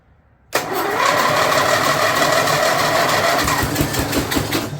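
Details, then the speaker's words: Snapper rear-engine rider, Briggs 12 HP I/C single, abandoned for years, no choke or throttle linkage hooked up: fires and runs roughly about four seconds then sputters and dies; owner suspects too little throttle opening, raises idle screw. "Sounded like it wanted to go, but it didn't have enough throttle opening."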